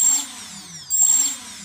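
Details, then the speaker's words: EMAX Nighthawk Pro motors 1 and 2, no props, with ESC active braking enabled: a high-pitched motor whine that stops almost immediately when the throttle drops quickly. Braking works as intended. "that's true when I turn on the motors and decrease the throttle quickly these ones closest to the camera they stopped spinning almost immediately that's what you want"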